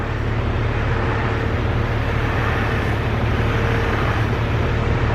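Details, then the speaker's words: Jeep Cherokee XJ power steering pump makes a loud, steady droning groan with a low hum every time the steering wheel turns, worse when hot or after long drives; no leak, low fluid or air found, pump being replaced. "this is pretty much the noise that this Jeep is making every single time I turn the steering wheel this is a noise that it's making so every time I'd turn the steering wheel"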